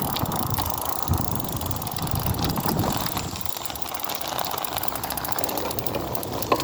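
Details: BeeCool rear hub motor: rough gritty grinding with a faint ratcheting click continuing as the wheel turns; internal hub motor grinding.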